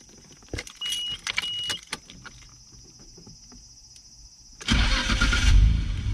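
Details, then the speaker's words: Nissan R32 whose engine blew: normal starter crank shown for comparison, brisk and catching almost instantly into steady idle, unlike the blown engine's weak, slow cranking that wouldn't start; normal starter cranking and start. "Since the cell motor was so weak, I'll show you the normal cell from now."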